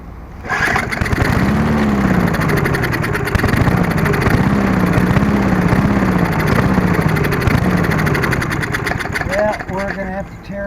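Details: Murray Sprint 22-inch 3.75 hp push mower after replacing a seized stop cable, primer pumped: fires and runs unevenly for about eight seconds with speed surging, then sags and quits; it seems not to be drawing fuel.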